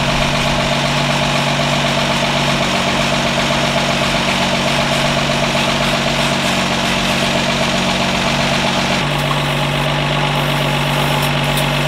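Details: 1952 Ford F1 truck just revived, solenoid jumped, positive ground, generator suspected not charging: steady even idle hum with settled rhythm, no knocks or misses, idling smoothly.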